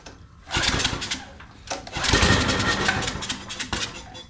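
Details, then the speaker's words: Scotts rear tine tiller, 6hp Tecumseh Enduro, sat over a year. After a pull or two it catches and runs with a quick, slightly uneven putter. Normal start; it simply had no gas, so no carburetor cleaning was needed. "Yay! It runs. He just didn't have gas in it."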